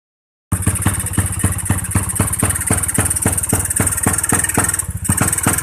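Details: Motorcycle (New Tech) with abnormal ignition: engine thumps about four times a second, unevenly, stumbling and misfiring instead of revving on first throttle; checks planned on spark, stator coil, pulser, CDI and ignition coil.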